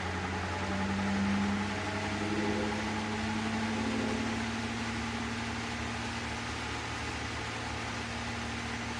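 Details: GE washer (not draining) in the inverter test spinning the drum of an overloaded, poorly kept machine with a wobbling drum: rough wavering hum over a steady whir, harsh and gritty. Worn, failing drain pump.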